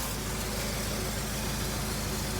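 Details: 2003 Honda CR-V after a timing chain repair: smooth, even idle with a soft hum and some hiss behind it, no ticks or rattles. Owner hears a possible small rear exhaust leak. No leaks or smoke; normal idle.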